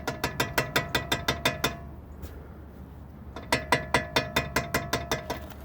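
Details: Jeep Wrangler TJ brakes: sharp metallic clicks about five per second in bursts, ratcheting grab-and-release; pads appear to shift slightly in bracket, locking and releasing repeatedly; suspected, not confirmed.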